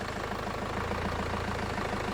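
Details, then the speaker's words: 2002 Renault Master 2.2 dCi just restarted after fuel system parts replacement, air box off, low fuel, ticking over checking for leaks: steady even diesel clatter, no misses or surges; healthy idle. "There's not a lot of fuel in it, which doesn't help, but I just want to make sure there's no, so I'm just going to leave it ticking over for a few minutes."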